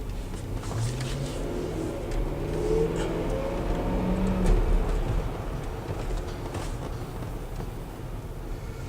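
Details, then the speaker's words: 2012 Land Rover LR4 on a test drive after lubricant was injected into the rear suspension bushings. The engine pulls smoothly and the rear squeak is completely gone. Culprit: upper and lower bushings, due for replacement. "so now the noise has gone away yes the noise is completely gone"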